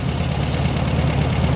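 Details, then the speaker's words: 1972 VW Super Beetle after sitting perhaps about a year, running on tank fuel: steady, even, low air-cooled flat-four rumble with no ticking or knocking; hot air felt under the engine shows the cooling fan is running; normal idle. "sounds really good let's go under here feel hot air coming out underneath the engine so the fan is obviously running"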